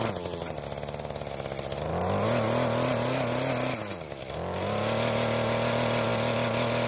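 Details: Mantis tiller two-stroke under load in hard, dry dirt, after the carburetor L screw was turned half a turn counterclockwise. The buzz holds a steady pitch, dips briefly as the tines bite, then picks straight back up; it is running fine under load.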